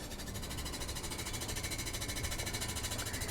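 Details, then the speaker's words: Air-conditioner blower in the sleeping cabin of a liveaboard boat, microphone placed on the unit: rapid regular tapping about three times a second over the fan's whir. The fan is striking something as it turns. "- [Rico] Alors le ventilateur, le ventilateur frappe quelque chose."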